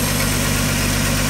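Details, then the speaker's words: 1985 Ford F-150 with a 300 inline six and 240,000 miles, running after cam gear replacement and a start on starting fluid. Steady, even low idle with no knocks or misses; a slight exhaust leak is noted. Sounds well broken in. "other than that sounds like a well broken in 300 to me"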